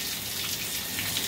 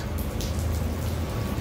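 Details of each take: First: Water turned back on after replacing the busted Symmons valve: a steady hissing rush of flowing water with no drips or spurting. No leaks; the supply flows normally. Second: Busted Symmons valve: a constant heavy patter of water pouring from the ceiling and splashing onto a concrete floor, like indoor rain. A major supply leak, later fixed with a new valve.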